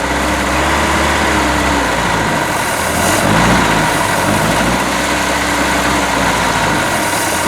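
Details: Boat engine just fitted with a new manifold, run on earmuffs with water pumping: uneven lumpy idle with loose irregular beat under heavy water and exhaust wash; ignition timing off and carburetor needs rebuilding, oil still free of water.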